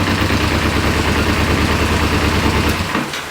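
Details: 1994 Kawasaki Ninja 250 (ZZR250), sat for years: steady low knock about three per second at idle that vanishes when the clutch is pulled in, suggesting the clutch basket end; cause unconfirmed.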